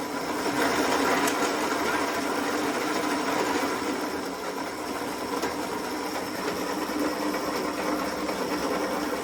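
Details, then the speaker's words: Old zero-turn mower converted to electric motors and chain drive: steady whirring rattle with fast, fairly even ticking under a thin high whine; normal chain-drive noise, with a sloppy idler gear whose shaft is worn from lack of maintenance. "It's a little bit noisy, but it's also what comes with a chain drive, is you get some of that noise."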